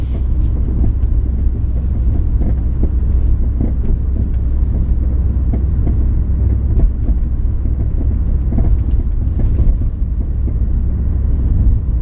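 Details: 2000 Ford Focus driving a very bumpy road at night, phone on the seat: heavy road rumble with short hollow clunks on bigger bumps, irregular with the road. Cause was worn sway bar end links; replacing them removed the noise.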